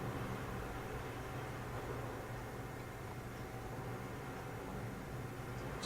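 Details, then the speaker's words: PC case fans after fix with Phobya splitter and a voltage reducer (possibly 7 V): soft, steady low hum with even airflow hiss, no rattles or pulsing; fans now running quietly. "but they're definitely quiet I think I'm happy with that I think I I'll I'll take that I've got the fans working they're not noisy"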